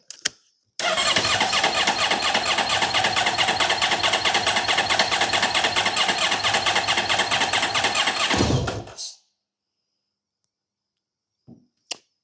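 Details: 2010 Honda VFR1200F on jump cables, low on fuel, known misfire: eight seconds of steady rapid cranking that never catches; hard to start, cause not confirmed.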